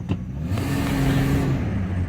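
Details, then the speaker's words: 2000 Ford Excursion 6.8L V10 4WD after greasing rear driveshaft slip-yoke splines, accelerating from a stop: smooth pull, no clunk on take-up where it clunked every time before; fix appears successful. "No clunk that time. And it clunked every single time before. So, I would imagine that was probably the fix."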